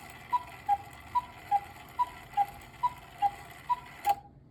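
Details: Antique miniature cuckoo clock, possibly 1940s–50s, brass-plated movement, being restored; clean even tick-tock alternating in pitch, about two ticks a second, nothing dragging. Normal clock ticking.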